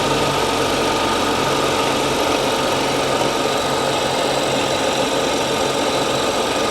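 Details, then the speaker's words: 2014 BMW 740i F01 with N55 inline-six, just after crankshaft position sensor replacement with intake manifold and starter removed and refitted: steady, even idle, smooth hum, no knocks, misses or check engine light; normal idle after repair. "all right sounds good no check engine light got L it run for a couple of minutes make sure nothing pops up"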